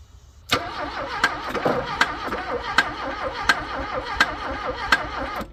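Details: Abandoned Porsche 924 after a loose ground cable on the head was fixed, carb cleaner tried: the starter churns at roughly one sharp beat a second but never catches; owner thinks it's flooded, fuel pump suspect.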